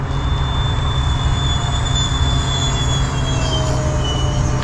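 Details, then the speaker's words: E-flite F-15 Strike Eagle RC jet in flight, on a bigger battery pack: thin steady high whine over the rushing fan roar, drifting slightly in pitch as it passes; source undetermined. "making a a weird noise [Music] you hear that noise"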